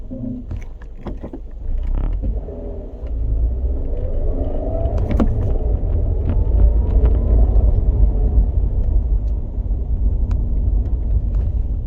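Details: 2007 Scion tC while driving: heavy low rumble with a rough, wavering grinding layer that rises and falls with speed.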